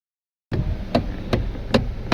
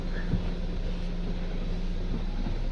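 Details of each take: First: Kia Cerato electric power steering: sharp single knocks roughly every 0.4 seconds over a quiet background, a clunk from the steering motor, heard before the motor was opened and repaired, after which it was silent. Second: Kia Cerato steering after the steering motor was removed, opened and refitted to fix a noise: engine running, only a steady low hum while steering, with no knocks or clunks; normal steering, no knock.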